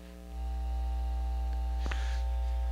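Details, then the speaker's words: Pioneer QX-747 receiver phono stage, volume at second notch, cover off: steady loud mains hum, dropping when touched and gone with cover fitted; mains hum from poor shielding. "okay so remember when i said i we had a hum on the phono stage listen to this i got it turned up uh probably to the second notch"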